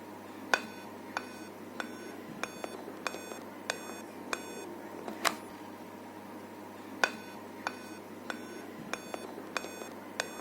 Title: How To Fix repair dell laptop seven beeping problem -अब सिखो हिंन्दी मे